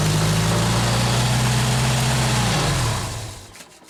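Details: 1995 Genie Z45 lift engine during stall/no-start diagnosis: even, steady hum with a low constant note and no misses or knocks, then winds down as shut off; normal idle.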